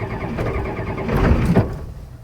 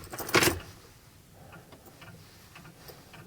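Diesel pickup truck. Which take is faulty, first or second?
first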